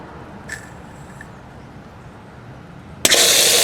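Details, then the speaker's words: In-ground sprinkler system being opened, zone one running while flushing the line through a valve: quiet line, then sudden pop and harsh rushing spurt of water; seal in the valve suspected, not confirmed. "there he goes i don't know why it popped like that but i guess the seal in this valve"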